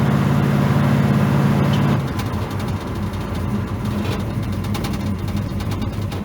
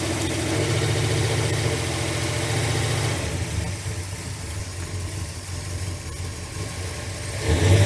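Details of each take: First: V8 truck on a test drive after fixing a dead cylinder, cruising at light part throttle, far less pedal needed than before: even, steady drone with no stumble or skipped beats; normal running. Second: Carbureted truck idling during a plug-wire pull test; pulling one wire barely changes the lumpy idle of roughly three to four beats a second, so owner believes that cylinder is dead; dead cylinder misfire.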